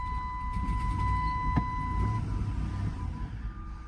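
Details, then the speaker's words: Dodge Durango auction vehicle, 149,000 miles, on an older small battery, with water in the coolant: a low, lumpy idle that surges unevenly, then sags and fades; touching the throttle makes it die. Runs rough, close to stalling. "yeah I touched the gas and it just dies"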